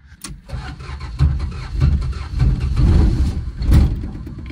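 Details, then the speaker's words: 1974 Dodge Dart Sport slant six, off the road 17+ years, running after the no-start. Uneven, lumpy chuffing with surges and stumbles; firing order is ruled out, and the owner suspects far too much timing plus a bad intake valve. Not confirmed. "still acting like too much timing but also not enough timing"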